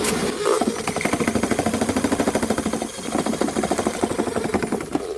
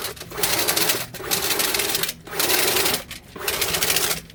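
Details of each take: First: Older drill-type spring drain cleaner with heavy spinning head: fast, uneven rattling beat, two or three knocks a second, strong vibration passed to drum and operator's hand, worse with short cable extended; excessive vibration. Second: RIDGID K9-102 FlexShaft drain cleaner driven by an 18V cordless drill: even whirring in bursts of about a second with pauses, no rattle or knock; shaft spins smoothly and quietly with little vibration.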